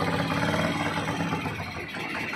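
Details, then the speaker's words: Euro 150 motorcycle idling after clutch lining and timing gear replacement fixed a very noisy engine: steady, smooth idle with soft even beat, no ticking or clatter; sound now fine and quiet. "Yan na po ayos ayos walang ingay Okay ning maayos na po yung tunog niya"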